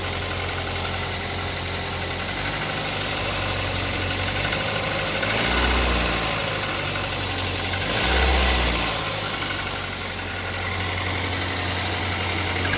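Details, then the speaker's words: Toyota Avanza with about 100,000 km at idle and two throttle blips: dull tapping knock underneath, lower-end; timing chain quiet, mechanic suspects piston knock, unconfirmed; cylinder head gasket seeping oil. "Jadi suara tok itu e kemungkinan sih piston ya. Kalau kalau pertama tadi dihidupkan timing chinnya sih cukup ya, enggak bunyi timing chinnya. Cuma ini suaranya suara seperti suara pistonok gitu."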